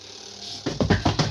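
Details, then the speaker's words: Tumble dryer drum loaded with unevenly weighted clothes: hard thumps repeating about seven times a second as drum spins up; knocking from unbalanced load. "นะครับก็จะดังเสียงลักษณะนี้นะครับเพราะว่าเราใส่ผ้าน้ำหนักไม่เท่ากันนะครับ"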